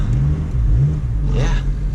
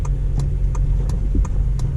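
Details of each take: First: 8th-gen Honda Civic Si after repairing front-end scraping and banging by bending the part back: only low, even road rumble while driving, with no grinding, clunks or rubbing. The front end sounds healthy. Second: Honda Civic Si, 8th gen, driving: light, regular knocking about three times a second over road rumble from the driver's side front. It happens mainly on bumps or turning.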